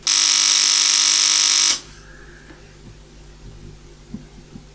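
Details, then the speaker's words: Relay in a simple test circuit with a tiny transformer, in an external tube amplifier power supply build: loud steady mains-rate buzz for almost two seconds, then it cuts out; the relay chatters without pulling in cleanly. "I hope you can hear it if you can hear it yeah it is not really switching as you hear it's just"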